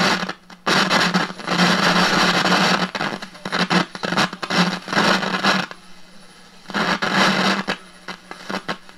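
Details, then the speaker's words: 1946 Aviola 509 radio after recap, tuning the dial: crackly hiss with scratchy bursts as it moves; tuner noise from loose coils and corroded guide shaft, slugs to be cleaned. "it's playing there is some noise in the tune so let me let me work on that see if I can clean those slugs a little bit"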